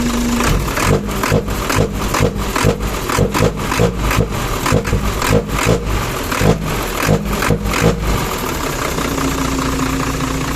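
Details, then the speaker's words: Hino Mega 500 J08C diesel after valve lash adjustment: revs up and settles cleanly with no top-end ticking under the blips; the earlier clatter from excessive valve clearance is gone. "ตอนนี้ครั้งก่อนก็วาล์วมันห่างไปนิดนึงฮะแต่ตัวนี้ไม่มีเสียงเลย"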